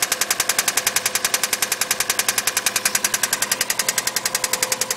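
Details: Subaru EJ20 engine at idle: sharp, very regular mechanical knock about three to four times a second over a quiet idle; cause not stated.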